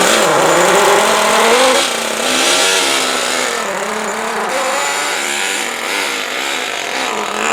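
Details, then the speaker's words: Traxxas T-Maxx 3.3 nitro RC truck, cold start after 8+ years stored in a shed, on 20% nitro fuel in cold rainy weather: the high buzzing engine revs up and down cleanly without stumble or misfire, running near perfect. "they start it up and it runs damn near perfect snow after spins all four tires just second gear like like it's brand-new"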